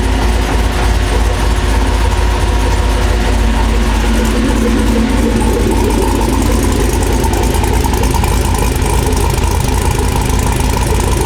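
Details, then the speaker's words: Toyota FJ40 freshly revived and being broken in; deep steady idle with smooth low rumble, no knocks or misses; running cleanly. "We got the FJ40 fired up. This thing sounds so good. It runs great."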